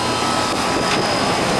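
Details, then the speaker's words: Old Amana R-22 AC condenser, not leaking: constant airy fan rush over a steady compressor hum, no rattles or clicks; normal running. "it's a manner back back these these were good units back in the day uh 22 yeah and it's still um still running not leaking"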